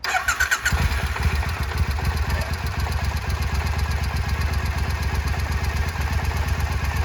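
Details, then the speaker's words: Triumph America motorcycle just after DIY oil and filter change, idling 30 seconds per owner's manual: starter crank, quick catch into even steady low idle, regular firing, no rattles; engine healthy. "Okay, so now that we've filled it with oil, the last thing the owner's manual tells me to do is to start the bike and just let it idle for 30 seconds."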